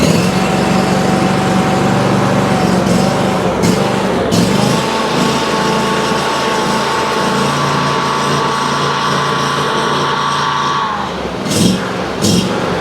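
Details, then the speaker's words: Ferris IS3000Z mower with a 27 HP Briggs & Stratton commercial V-twin and low power: it runs loud and extremely poorly, speed surging up and down with dips and pops, and a little choke doesn't help; a fuel or air mixture issue is suspected. "uh it's surging kind of right now which usually leads you to believe that we got some sort of fuel or air mixture issue nine times out of 10"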